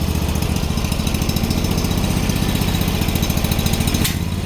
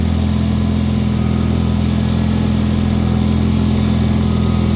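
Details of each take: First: Bolens HT-23 garden tractor twin, first cold start of the year on choke: steady low beat with uneven, lumpy firing, switching between one and two cylinders. One cylinder sounds fouled; the spark plugs are known to need changing. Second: Bolens HT-23 snow blower tractor, first test of the year, warming for a few minutes after being started: constant, even single-cylinder drone with steady hum, no surging or knocking. Normal idle.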